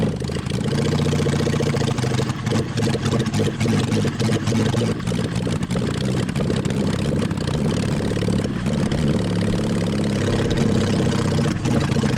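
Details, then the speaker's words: Mid-70s Honda CB750 750cc engine in a 1980s Suzuki Quad Sport 230, push-started and ridden: uneven note with ragged stumbles, occasionally clearing out; rough running and bogging under throttle, carbs only cleaned, no real exhaust, worn points ignition suspected. "it seemed like you had one or two kind of clear yeah it it occasionally it would clear out and want to go"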